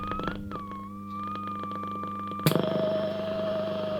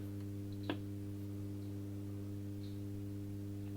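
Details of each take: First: Hallicrafters S-20R tube receiver, first power-up with bad filter caps: clean whistle glides up and down in pitch as dial turns over low steady hum; beat frequency oscillator working. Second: Hallicrafters S-20R tube receiver first powered on limited voltage via bulb limiter: steady low mains hum with buzzy overtones and faint static; filter capacitors shot, causing hum.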